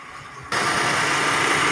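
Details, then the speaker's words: Suzuki APV overheating with radiator fan not working; with WTS coolant temperature sensor unplugged and ignition on, fan kicks in abruptly as a steady even air rush, no rattle, showing fan wiring, fuse and relay are good. "Oh ya terdengar ada suara kipas yang bekerja kita lihat kedepan"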